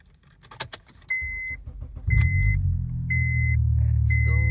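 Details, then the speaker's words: Honda Accord just back from fender repair, first start after about a month: key chimes, starter cranks briefly, engine catches into a steady, strong idle with no misses or knocks. Normal start. "starts like a chat with a hell of a lot of sound to it"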